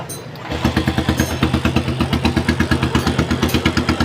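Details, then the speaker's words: Custom Harley motorcycle that clicked and wouldn't start, after installing a replacement starter motor: quick crank then fires into an even, strong loping idle of about three thumps per second; normal start. "Nah, oke teman-teman, ini akan saatnya kita pengetesan dinamo starternya yang kita pasang tadi ya. Nah, oke, saatnya kita starter."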